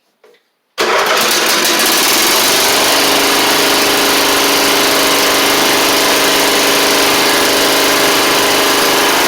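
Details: Troy-Bilt Pony mower after swapping its Powermore engine for a Briggs & Stratton flathead (new Briggs carburetor, 12.5hp air filter), bench-run before pulleys refitted: silence, then it catches at once and settles into a steady, even run, no misses or surging; normal running.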